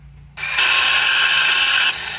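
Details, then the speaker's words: Can-Am G3 XMR700 front differential actuator, bare with cover off, held by thumb, switched from 2WD to 4WD: sharp high whirring rattle about two seconds, gears skipping and ratcheting. "That doesn't sound very happy, but I mean, the cover isn't on. I'm using my thumb."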